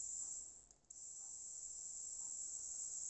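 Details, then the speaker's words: Jouef 3-pole model train motor after cleaning, run directly from a battery with polarity reversed: steady, high, thin whir with no screeching or howling, much quieter than before cleaning and turning slower; normal running small motor. "There we go. Much quieter. Even if I lean over, no screeching, no howling."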